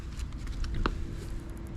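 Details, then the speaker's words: BMW E46 320Ci coupe, engine on, reverse selected, listening close at a rear PDC sensor: faint quick even ticking about seven clicks a second over low hum; this parking sensor pulses normally, one other sensor found dead. "There is this little knocking noise. So this one is working. This one is also working, and I'm able to hear from multiple spots this little knocking noise."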